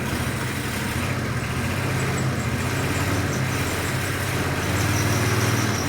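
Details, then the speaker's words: Countax ride-on tractor engine first start after revival, exhaust refitted, a bit of choke: even low putter at steady idle, no knocks, rattles or misfires; smooth, quiet, sweet-sounding normal idle. "Well, how about that? That sounds really nice."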